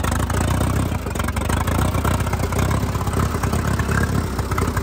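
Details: 1952 Case DC3 tractor, parked about 15 years with tree through it, running again; loud steady idle through open pipe, even low rumble with no knocks or misses; running healthy.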